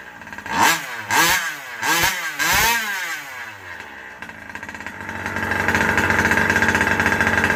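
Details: Rovan Baja 5B RC car two-stroke engine with newly installed 1107 carburetor, not yet tuned: blips sharply, then struggles and bogs climbing in revs, running lean on the low-speed mixture.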